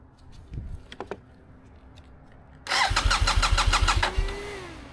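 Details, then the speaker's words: Newly bought used 2015 BMW F800R with check engine codes, unstable high idle and odd throttle response since washing: starter cranks evenly over a second before catching; hard starting, owner suspects fuel pump, unconfirmed. "And it's really hard to start for some reason. Maybe fuel pump, right?"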